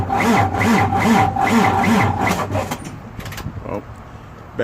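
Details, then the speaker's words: International diesel truck after compound turbo change and exhaust pipe fix, sitting a few days: labored, dragging crank at about two and a half turns per second before catching; starter slowed by low battery. "going to crank it up see everything's good oh there it might be low been sitting for a few days now so"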